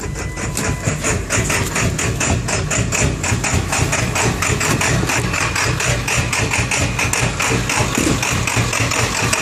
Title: Rough idle1